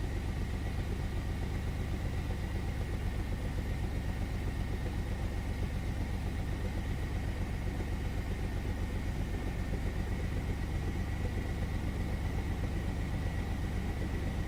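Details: 1999 Chevy S10 4.3 V6 misfiring at idle: low, uneven, lumpy stumbling beat; no fuel reaching cylinders 4 and 6 despite good spark, fuel spider swapped for a used one of uncertain history.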